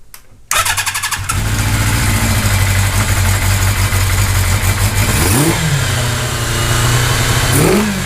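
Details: 1982 Kawasaki GPz550 four-cylinder after pilot jets changed to fix fast idle hanging at 4000 rpm, test fuel supply fitted: starts, settles to steady low idle, two quick throttle blips returning normally; idle apparently fixed.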